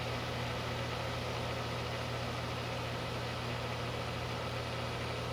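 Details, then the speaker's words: 1994 DeLonghi dehumidifier sealed fan motor running; steady low hum with rough buzzy undertone, owner suspects dry bearings; fan motor noise, unconfirmed. "uh-oh that's not good sounds like dry bearings"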